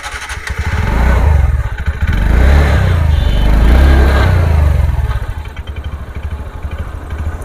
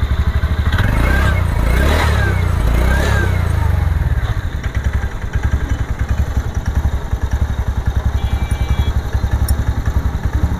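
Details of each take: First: TVS Ntorq 125 BS6 scooter after a mechanic's repair: idle pulses, revs swelling up by themselves then sagging, idle RPM won't settle; erratic idle speed. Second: TVS Ntorq 125 BS6 125cc scooter after an idle rpm fault: after a brief rough patch the single settles into a steady, even putt of about two beats a second, neither hunting nor racing; normal idle.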